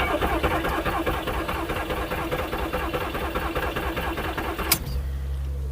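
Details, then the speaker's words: Non-running £100 VW Polo cranked after new coil packs and a replaced crank position sensor: about five seconds of rhythmic starter churning with no firing; engine turns over but won't start, owner thinks it's headed for scrap. "Nah. Unfortunately, I think the Polo is going to be going to the scrap man, which is a real shame."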